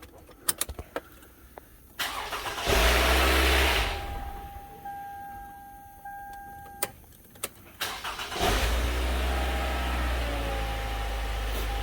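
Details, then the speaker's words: Toyota Highlander 2.7L with timing chain rattle, first start after the repair: clicks, brief cranking, then an even idle without chain clatter; rattle much less than before, first-start noise considered normal. "alright, that's perfectly normal for it to do that. But as you can tell, or at least I don't know if you could tell through the video, the rattle noise was actually much, much less than it was before."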